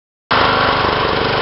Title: John Deere Running Rough